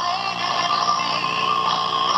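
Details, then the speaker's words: General Electric C-403A radio with its first filter electrolytic capacitor out of the circuit, volume down: output is harsh, buzzy and garbled; distorted audio from a missing filter capacitor, not a speaker fault. "and you know previously it was playing perfectly and I I I always went to the speaker I said man there must be something wrong with that speaker well no I learned later on that it's a filter cab go to the filter caps first"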